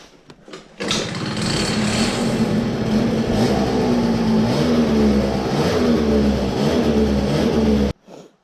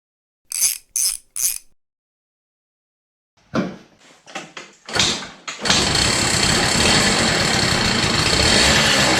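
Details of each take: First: CPI two-stroke scooter, cold engine, stock variator, 6.2g rollers, white contra spring, 62 jet, stock pipe and airbox, after carburetor cleared of something: starts cleanly, steady even buzz with light throttle blips, running normally. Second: CPI two-stroke scooter, idle jet soldered shut and redrilled to 0.35mm: kick-started, idles with uneven stuttering misfire; mixture screw now has effect but must be almost fully out, still running rich, idle jet thought still too big.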